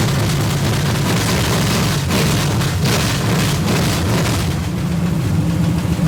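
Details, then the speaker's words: 454 big-block V8 stored 20 years, first start on open headers: loud, lumpy, steady low rumble with choppy beat, possibly a cam; idling fine. "man I love it nothing sounds better than a big block it kind of sounds like it might have a cam in it"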